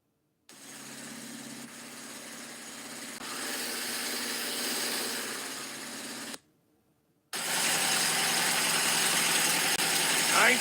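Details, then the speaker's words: 1973 car, roughly 50 years old, with a voltage regulator problem, awaiting restoration: engine fires and settles into a steady even run, drops out briefly, then picks back up strong and smooth; runs really good. "got a voltage regulator problem few other things but for a 50-year-old car man she runs really good"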